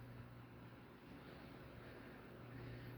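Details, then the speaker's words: Dayton/Lasko 56-inch industrial ceiling fan (model 4C569, 29100), restored to working order, on the high setting: big inrush, then a steady, even low hum with no ticking, wobble or rubbing; smooth, healthy motor. "This was a let's get it working project. Big inrush, obviously."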